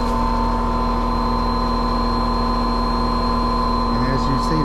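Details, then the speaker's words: Older Trane R22 AC condenser, customer complaint of noise outside, fan motor drawing 1.4 A and over-amping: steady hum with fixed high whine over fan drone, no knocking; condenser fan motor failing, replaced. "all right that sounds like that condenser fan motor is a problem so outdoor motor 1.4 amps"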